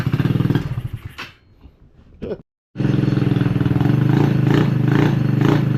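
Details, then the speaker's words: Killer Bee scooter, stored unused for over a year, left running after revival: a quick, steady single-cylinder putter with no misses or rattles, pulling evenly. Normal idle. "All right, so let's just go ahead and just let this thing run for a bit."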